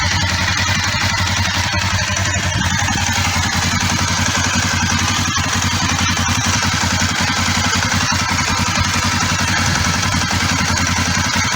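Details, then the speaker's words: Kawasaki ER5 twin-cylinder motorcycle after a roadside oil, oil filter, air filter and spark plug service: steady, even putter at idle with no misses or knocks; runs as it should. "so Joe car I think she sounds like she's running as she should"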